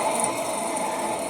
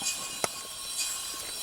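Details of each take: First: 2004 Ford F-150 2WD, 4.6 V8, front wheel bearing, with tire and caliper removed and the hub spun by hand: a steady rough growling roar, louder when loaded in turns, from a bad wheel bearing. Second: 2004 Ford F-150 2WD 4.6 V8 after new front wheel bearing and brake rotor: hub spun by hand turns quietly with no growl or grind, just faint brake pad scrape; bearing healthy after repair.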